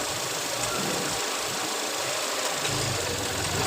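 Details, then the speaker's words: Idling petrol engine with a new cam actuator, with the oil filler cap opened. There is a loud airy hiss of strong suction, an uneven low beat and light tapping as it stumbles: rough idle misfire. The PCV is being checked. "So Pinatay ko kasi kasi may tumunog ka parang hangin na humigop na malakas"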